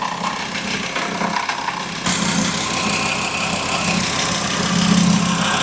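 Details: VW engine catches and settles to a steady, even idle with a clean whir and no growl, squeal or rattle from the belt end; normal idle.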